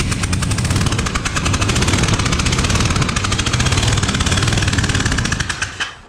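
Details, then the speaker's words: Freshly built 427 V8 in a 1972 Buick Skylark on first fire and break-in, driver's side; rough running with sharp, rapid puffing ticks in an uneven beat, first mistaken for a header leak, caused by a spark plug left out of one cylinder. "it sounds like it's right in my face like it's the driver's side but did you forget to put the gasket in on this one no I definitely put the gasket in or did you forget to put the put the spark plug in yeah that's what it is"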